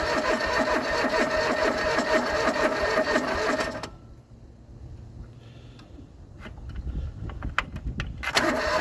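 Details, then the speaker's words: John Deere 445 fuel-injected garden tractor, parked about 8 years unstarted: starter churns about two beats a second, stops, retries, no pop. Cranks but won't fire. "Not even a pop."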